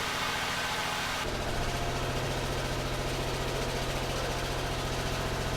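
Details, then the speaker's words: 1989 Buick Reatta right after a new ignition control module and ground repairs: it runs fairly evenly with no misfires but sits at a raised, busy idle that hasn't come down yet, while it is still learning; high idle, cause not pinned down. "yeah it sounds better now it just has to figure out how to idle down uhhuh it's learning"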